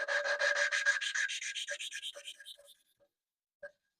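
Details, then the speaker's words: Lapping valves with paste and a suction tool on a Bandit 1200 engine being built as a low-compression 1216 turbo: quick back-and-forth rasping strokes fading to a smooth light hiss. The valve seat is ground in. "You can hear it's ground down. What I do is I try to Move it about a little bit. Get a few cuts. Grinds, should I say? It's not cutting wells. It's grinding. Lapping."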